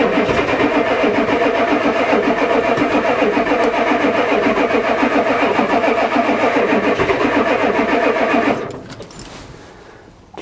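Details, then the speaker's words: Ford diesel truck after repair, glow plug controller not clicking, wait-to-start lit: starter churns steadily for about eight seconds, fires slightly but never catches; crank, no start. Cause not confirmed. "says wait to start so let's see what happens all right here we go oh let's try again the old one used to do lots of clickings it actually fired a little here we go"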